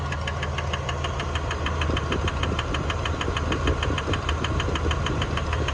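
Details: 1999 Dodge Dakota 4x4 Sport, 3.9 V6, 200K miles, at idle: a sharp, even, rhythmic metallic tick in time with the engine. The belt looks fine and the owner suspects a pulley, not confirmed.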